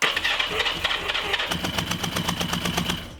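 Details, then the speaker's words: Four-cylinder motorcycle after all spark plugs were tested (all sparking) and reinstalled: uneven firing pulses, then the engine sags and dies as the throttle is opened; ignition test did not solve it, cause not found. "this morning when I tried to start the engine the only thing I could hear is the spinning of the starter engine but right before when I tested the spark plug the engine started so I tested all four spark plugs they all had a spark put them back in and started the engine and it started running but as soon as I pulled th"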